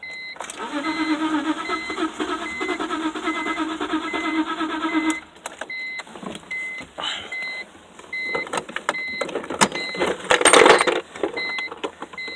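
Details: Engine cranks at a steady, even rhythm for about five seconds but never fires, despite a new fuel filter and new crankshaft and both camshaft position sensors. A warning sign shows on the dash; the owner suspects it may be out of gas.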